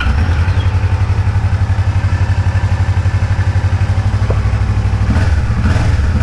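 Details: Kawasaki Vulcan 650 S twin running after an air filter and spark plug change; even, steady low thump at idle with a couple of light throttle blips, smooth and clean with no misses or knocks. Normal running.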